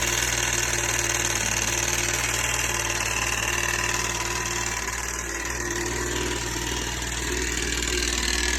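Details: 2009 Yamaha FX Nytro, 5,000 miles, idling with a fast, rough knock; started suddenly at 50 mph on trail despite good oil and no overheating; metal in oil filter and sump traced to failed stator-side counterbalance shaft bearing.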